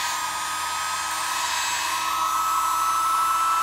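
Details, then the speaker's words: Sewing machine motor with rotation reversed by swapping brush wires, cleaned commutator and repaired wires, run at full speed: smooth, even high-pitched whir with steady brush hiss. No arcing or sparking; normal running. "good [Music] no arcing and sparking pretty stoked about it"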